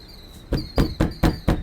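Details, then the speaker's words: Fist tap test on the sidewall of a 2001 Marathon Prevost XL2 motorcoach: six firm knocks about four a second, each followed by a hollow loose rattle, indicating delaminated sidewall panel. "that one was rattling. And that one was rattling, too."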